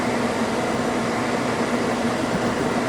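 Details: Toyota Tarago/Previa/Estima TCR10 van blower motor running after blower housing removal and A/C evaporator cleaning: steady, even rush of air at constant speed, a slight audible rub, otherwise normal blower operation.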